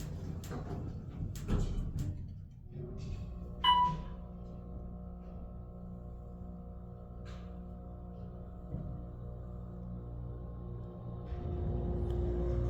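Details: Otis Series 4 hydraulic elevator, left car, Hofstra Graduate Residences: steady low motor hum drones about 10–12 seconds before the car moves, with bouncy starts and stops; unusually slow startup, cause unknown.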